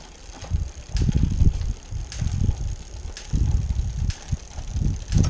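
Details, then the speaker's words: Bicycle rear derailleur just indexed via barrel adjuster, shifting up the cassette: low chain whir with crisp single clicks about once a second as each gear lands cleanly, clean indexed rear shifting. "shifting quite nicely all the way up and right now very nice"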